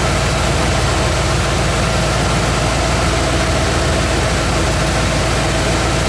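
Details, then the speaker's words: Bullnose Ford F150 (1980-86 generation) V8 after carb swap and new low-pressure Edelbrock fuel pump and fuel line install: steady even idle with low rumble, earlier scraggly noise (owner wondered if pinging) gone; normal idle. "be funny if that scraggly noise went away i don't really hear that noise anymore"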